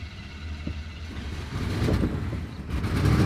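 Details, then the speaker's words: 1996 GMC Sierra pickup, 5.7 L Vortec V8, about 293,000 miles, just after start-up: lumpy, uneven idle with a deep irregular rumble, running very rich with a strong raw-gas smell; rough running, cause not confirmed. "it's running like crap and man does that stink of gasoline black rich i can almost smell raw gas now for helping hood the 5.7 liter vortex v8 engine and yes it's running like crap"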